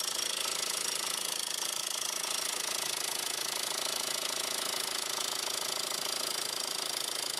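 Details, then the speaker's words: 2002 VW Jetta 1.8T at idle, shop blamed the turbo: fast, even metallic chatter of about three per second over a faint hum; the turbo is quiet through a screwdriver stethoscope, and with the serpentine belt off the noise persists at the front, suspected inside the timing cover. "I'm right there on the turbo and I got my screwdriver up against it against my ear and it's quiet and I heard most of the rattling coming from the front up here"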